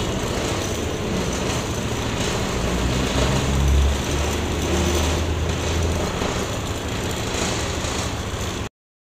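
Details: Honda PCX 150 scooter after stator replacement (previously only clicked and would not start): now starts and idles smoothly with a steady low hum, running normally.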